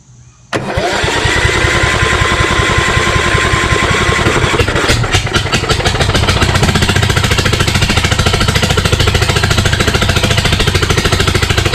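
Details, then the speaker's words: Craftsman YS4500 lawn tractor with repowered Kohler Courage 20 HP, no muffler fitted, cranked on sprayed parts cleaner with no visible fuel pulsing: catches and runs loud and raw, firing unevenly, then stalls; owner suspects cylinder head problem. "all right well that's a piece of it it sounds like it was kind of getting some gas right but i think something happened with the heads again"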